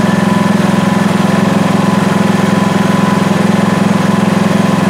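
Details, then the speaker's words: PowerSmart MB5040B 4400 W generator at 3000 W in eco mode, about 83 dB: even low drone with steady pulse, no surging or knocking; normal running under load. "pretty quiet uh we're at 83 relatively"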